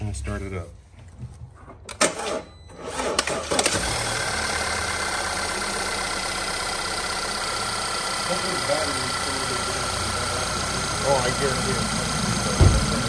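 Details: Audi/VW 2.0T after replacing the failed alternator (low battery light, not charging, screech): cranks, catches quickly, smooth steady idle with no screech or belt chirp; normal idle.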